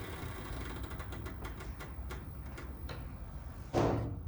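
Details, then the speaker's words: Older Mercedes W210: dry creaking ticks about twice a second as the suspension travels, then a dull thump; a very common squeak traced to worn sway bar bushings, felt through the fingertips. "this noise is extremely common, and I knew what it was going to be before I even looked in here, but I just wanted to double check."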